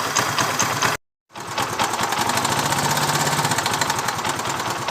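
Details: Motorcycle engine idling with a manual cam chain tensioner: fast, dry metallic ticking clatter of a slack cam chain, the knocking sound the manual tensioner is fitted to remove.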